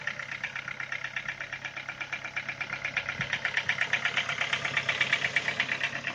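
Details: Ford Focus 2, 137,800 km, cold start: crisp regular ticking about three per second over idle, gone after about 10 minutes of warm-up; owner suspects hydraulic lifters, ticked since purchase, oil always at level.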